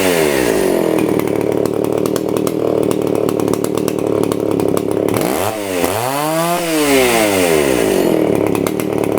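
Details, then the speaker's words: STIHL 041AV chainsaw, abandoned about 20 years, warm with air filter, bar and chain on: screams at high revs, drops sharply, climbs back to full speed while the top high-speed mixture screw is turned in ¼–½ turn. "And on this saw here, the high speed is the one on top. So I will turn it in when it's running approximately 1/4 to 1/2 a turn like that. And that should make it rev just the way it should."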